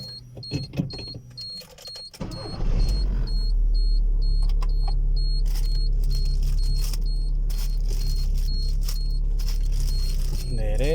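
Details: Volkswagen Fox, after suspension repair for a noise when turning (bearings, broken bolt and loose base replaced/tightened): engine idles evenly under a chime while the wheel is turned both ways, no clunk, knock or creak; steering quiet.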